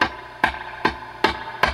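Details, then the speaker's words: Dr Z Maz 38 Senior guitar amp with reverb feeding back at high levels: sharp crackling pops about every 0.4 s when a 56k resistor is pressed; suspected cracked carbon arcing, resistor to be replaced. "resistor makes all kinds of noises and that's a sign that this resistor is a carb I think these are carbon films that should be that's the right color but some of the carbon may be kind of cracking and having problems though that's arcing between the carbon pieces"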